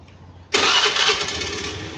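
Quiet, then a clean catch at half a second settling straight into a steady, even idle. The engine starts normally.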